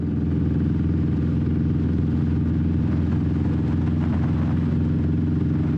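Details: 21-year-old Honda Shadow V-twin with new Vance & Hines exhaust, baffle repacked with new fiberglass, riding: deep, even rumble, tamer, no rasp or popping, nice deeper tone; normal running.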